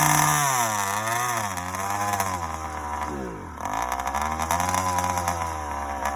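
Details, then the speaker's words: Yamaha YD100 two-stroke, first start after reinstalling a Dio reed valve, newly ported cylinder and windowed piston: crisp buzz rising and falling smoothly with throttle blips, starts easily, no misfire or rattle; healthy running. "starts up easy though boy sounds good too"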